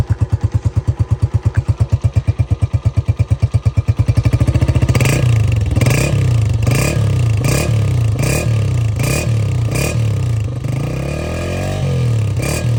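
Even single-cylinder thumping settles into a steady idle, then smooth throttle blips with no rattle or leak puffing; exhaust sounds healthy.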